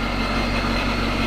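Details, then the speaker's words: 2017 50th Anniversary 6th-gen Camaro with LT1 V8 and Procharger, cold start after new spark plugs: a steady, even idle with a deep low rumble and no stumble or misfire. Before, it sputtered and shook; now it is normal. "that sounds so much better believe it or not before i mean it was just sputtering and shaking we got idols already calmed down right where it needs to be"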